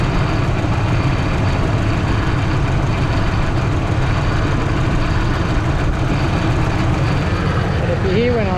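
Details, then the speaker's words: Ford F-150 5.4 3-valve V8, right-hand drive, bought with broken engine, started on new battery: heavy uneven lumpy idle over a low rumble, owner suspects running on about three cylinders; unplugging injectors on one bank made no difference. "so I'll just crank him over and we'll have a look but I think he's on about three cylinders here you go like it is really really rough"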